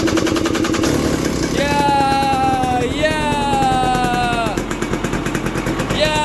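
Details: 2020 KTM 300 XC TPI two-stroke, 279.1 hours, that would not start on the trail with an FI light pointing to a fuel/oil pump signal fault. After the wiring was repaired it fires, revs cleanly with crisp blips and settles to a crackly idle. Normal running.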